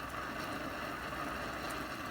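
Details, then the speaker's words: 60-some-year-old Canadian/American Army mountain stove (pre-propane, owned since 1972), running with water near tea temperature: steady, even hiss-roar with no sputtering or popping; normal clean burner roar. "isn't that amazing that thing's what 60 some years old and it's still works like that"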